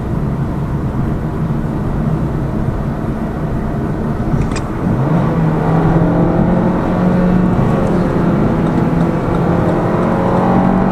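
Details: Lada Vesta Cross with AMT 2.0 robot gearbox, fully loaded car on rough road; head-mounted action camera. Steady road rumble, even engine note rising with speed, no knocks over bumps; suspension knock gone after shock absorber strut replacement.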